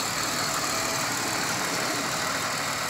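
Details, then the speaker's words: Donor 2000 Pontiac Grand Prix GTP, 151 on the odometer, rear-end crash damage, partly parted out: even, steady idle with no knocks or ticks, sounding much better than the owner's other GTP with rod knock. "we go this one definitely sounds a lot better than my other one"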